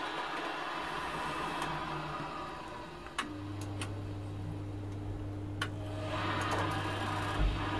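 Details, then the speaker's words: Worcester Greenstar 30SI Compact boiler in engineer mode at max, after refitting the pipe that was off with the case removed; a few sharp clicks, then the fan picks up to a steady low hum as the burner lights and runs evenly. "lit flame lights come on high speed i'll go in the suck and i love it"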